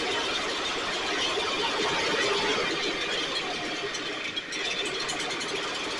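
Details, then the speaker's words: STIHL backpack blower (believed 6R450), new air filter and spark plug, recoil off. High buzzy two-stroke wavers and dips; runs lean, needs occasional choke to stay running; a little water in tank not deemed the cause; carburetor suspected, stiff fuel pump diaphragm. "In order for me to keep it running, I have to give it a choke once in a while so it's running lean."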